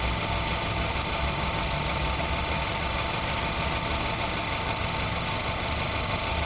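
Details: 2011 VW Golf 6 1.2 TSI 63 kW petrol engine at steady idle: faint irregular tapping with a thin hiss on top; strange noise, cause unclear.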